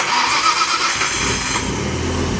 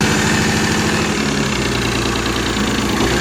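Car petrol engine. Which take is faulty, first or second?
second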